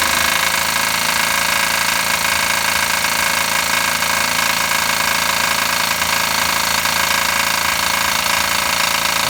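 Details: Knocking engine at idle after adding Motor Up oil additive and idling five minutes: loud hard rapping about three to four beats a second from deep in the bottom end; additive failed, bearing (metal) failure suspected, not confirmed.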